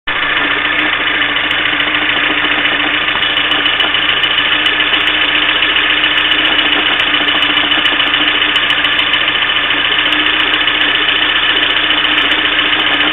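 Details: Engine at a steady idle with a fast, light knocking at a few beats per second; cause of the engine knock unknown.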